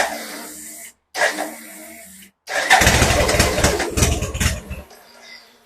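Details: BMW K100 motorcycle after cleaning fuses and getting the fuel pump priming: short pump whirrs, then a few seconds of uneven starter churning that never catches; cranks but won't start.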